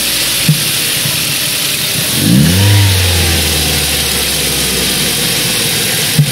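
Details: Ford 1.8 Duratec engine blipped and returning to idle with a light rattle and occasional sharp pops; rattly intake manifold flaps suspected, popping cause unknown.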